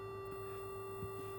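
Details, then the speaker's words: Minelab GPX 4500 metal detector, powered on in Special (normal timing) mode with an oscilloscope after a botched earlier repair: a steady high squeal with several fixed tones. "It's not lined up properly, but yeah, it's making all sorts of, the detector's making squeaking sounds."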